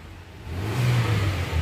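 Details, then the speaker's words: Hyundai new Creta petrol that would not start: after a faulty relay is replaced, the engine catches quickly and revs smoothly with a steady drone and no misses; starts normally. "చూసారా vehicle వచ్చేసి start అయిపోయింది."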